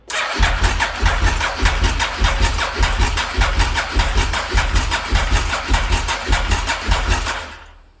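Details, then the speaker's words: SP1 motorcycle under rebuild, 71,000 km (about 38,000 miles), no battery, cranked on a booster box: the starter spins with even compression pulses, about a hundred a minute, but never fires; it has oil but no fuel, so crank-no-start. "It has oil and so on and so on. There's just no fuel in it."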